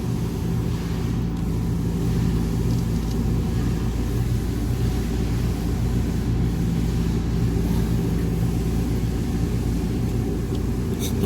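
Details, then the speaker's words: Trane Voyager rooftop HVAC unit on 460 V, about 6.3 A, first suspected motor failure; loud rough drone from failing, visibly wobbling, cracked idler pulley bearing, fixed by replacing the idler pulley. "bearing failing if you can see that slight movement there and it is making all kinds of racket"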